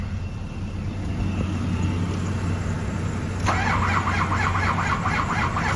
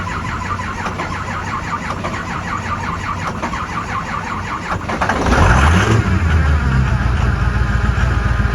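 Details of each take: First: 2005 Ford F-250 6.0L diesel no-start service call in cold winter, glow plugs cycled, being boosted: slow, labored cranking pulses under a low drone, never catching; battery voltage too low, cranking without starting. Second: 2005 Ford F-250 6.0L diesel no-start in cold winter, after key-cycling glow plugs and boosting the low battery: slow, even cranking at about three and a half turns a second, catches near five seconds and settles into a steady diesel idle; normal start.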